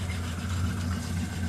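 A steady, deep, even idle with no puffing, hissing or ticking on top; the engine sounds settled and healthy.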